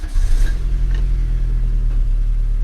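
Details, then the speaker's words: 1991 VW Passat B3 1.8 petrol after distributor cap replacement (it misfired before): a brief rise in revs, then a steady, deep, even idle with no misses; running well. "работает а вы знаете е даже и неплохо работает"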